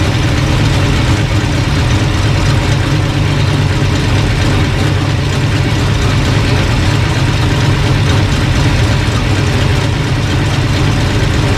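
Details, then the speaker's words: Engine at steady, even idle with no misses or stumbles, running smoothly after the distributor was found bad all along; reading about 180 then 190 with pump on. "running pretty good. I had a bad descriptor all along."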